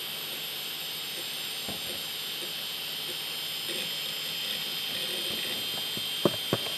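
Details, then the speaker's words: Faulty computer hard drive with a very noisy bearing and many bad sectors, spinning up and loading Windows. A constant high-pitched whine with scattered faint ticks and seek clicks; a worn, noisy spindle bearing. "it's a faulty drive so a very noisy bearing and a lot of bad sectors"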